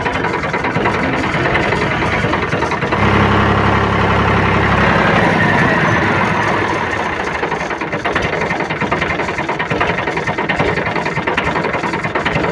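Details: Diesel tractor at slow rpm idle after fan belt tension was set correctly, curing squeal from belt slip on the water pump and alternator pulleys: steady even beat with no squeal or chirp; engine sounds healthy.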